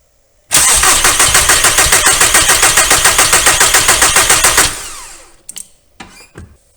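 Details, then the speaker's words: 2001 VW Golf ALH TDI after injection pump head plug seal replacement: fast, even cranking about 3.5 beats per second for four seconds without firing; pump lost prime. "all right so now what we need to do is crack these injector lines and bleed the air out of the system while we turn it over as soon as we see fuel coming out we'll close these lines it should fire up"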